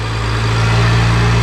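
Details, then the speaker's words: BMW 1M E82 after its blown charge pipe was replaced, revved to check for boost leaks: a deep, steady exhaust drone climbs smoothly with throttle, with no hiss or whoosh of escaping boost; no leaks, normal revving. "kill it well great success everything is working no leaks nothing"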